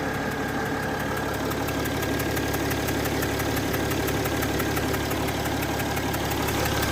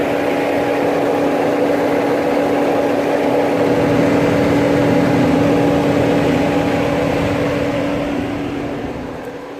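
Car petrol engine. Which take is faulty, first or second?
second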